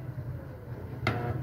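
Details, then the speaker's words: Stand fan on speed 1, powered: a steady low hum while the blades barely try to turn, stalled. Likely dried-out oil and a worn shaft/bushing, with the shaft wobbling in the bushing. "Umuugong na lang siya. So pag ganyan ang case is ano natuyuan ' langis at malamang sira na 'yung shafting or bushing kaya ganyan."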